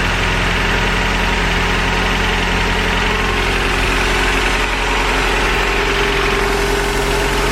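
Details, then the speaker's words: 1986 Toyota 4Runner 22RE after fixing a large exhaust leak at the broken Y-pipe, bolts torqued to 33 ft-lb: a steady, even, smooth idle with no exhaust puffing or ticking. Little exhaust smell; normal idle. "this is way better and I don't really smell too much exhaust so very excited on how this turned out"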